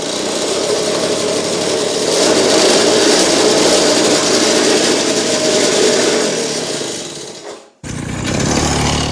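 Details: Restored Victa two-stroke go kart, clutch adjusted so it no longer scrapes, brake on: steady even two-stroke idle with no scraping or rattle; running properly now.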